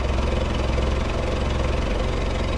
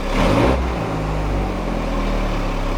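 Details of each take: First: VW Golf Mk3 with original throttle body and single-port injection, new coil pack and distributor: lumpy, uneven idle with deep irregular thumps and stumbles, worse than before; owner suspects the distributor, cause unconfirmed; rough idle. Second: VW Golf Mk3 with original throttle body, single-point injection and sensors plus working Hall sensor, after new distributor caused rough idle: engine picks up cleanly on a blip and settles without stumbling or cutting out.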